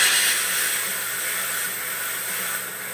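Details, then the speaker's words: Used Duo-Art rotary vacuum pump (spider), vacuum gauge nearby and the line nearly closed off: steady airy hiss with a faint low hum, even, no knocks or rattles; pump pulling vacuum smoothly under load. "And that way you'll be able to hear what the spider sounds like under load."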